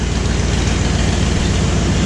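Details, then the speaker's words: Ford Bronco idling to warm up after a cold start following about a year unrun, on straight-pipe dual exhausts: a loud, deep, steady burble with an even pulse and no knocks or misses, idling cleanly. "let her sit here and run a little bit so he needs to get everything moving a little"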